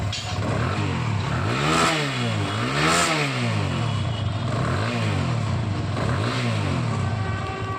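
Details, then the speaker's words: TVS Apache single-cylinder after repair, revving: smooth rise and fall, earlier rattle gone; it came from a loose starter one-way clutch bolt hitting the magneto coil, bolt tightened, one-way clutch replaced. "ये देखिए friends आप लोगों ने सुना जो इसके से खड़खड़ की पहले आवाज आ रही थी वो आवाज बंद हो चुकी है"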